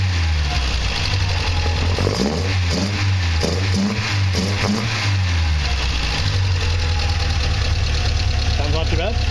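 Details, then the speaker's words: 1960 Triumph TR3A with newly installed Weber DCOE 42 carbs and foam filters, warm after tuning: fairly smooth low idle, clean pickup on quick throttle blips, drops back smoothly; running well. "all right let's go out of the car was idling after my tuning yesterday we are linked not too bad fairly smooth a little warm up a little bit and all give you a little bit of throttle to hear what it sounds like here we go"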